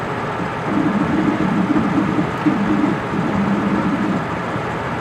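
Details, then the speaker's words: Ford Super Duty truck at highway speed: a wavering low hum rises over road noise, pulsing unevenly, staying until slowing below 30 mph; worn front wheel bearing. "And once it starts making the noise, it uh it pretty much stays with it until you slow down. Once I get below 30 m an hour, the the noise kind of go kind of goes away."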